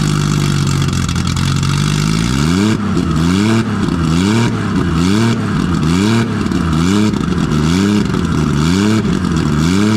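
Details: Nissan RB20 after fixing no compression in cylinder 5, caused by a lifter letting the intake valve sit low. Loud straight-six with no proper exhaust, blipped about once a second, rising and falling cleanly on all cylinders with no miss. Normal revving.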